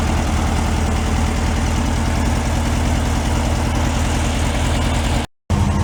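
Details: 1968 VW Beetle air-cooled engine, sat 5 years and still on old fuel awaiting change, at steady idle: low, even thrum with no misses, knocks or surges; sounds healthy.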